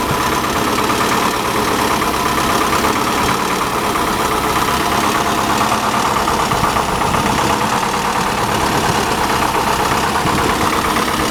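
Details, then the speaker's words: 1985 Chevy Cavalier CS wagon just started after sitting a long time: uneven, lumpy idle with occasional stumbles under a steady drone; running not too bad apart from a persistent misfire. "Really not running that bad for being sitting so long. Of course, it's got that misfire."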